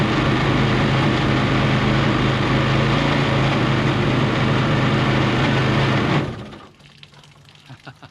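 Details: Mini jet boat with a Kawasaki 750 two-stroke jet ski engine, running with the pump installed: revs slowly, steady buzzing with a regular rattle about four times a second, much noisier than without the pump; cause unconfirmed.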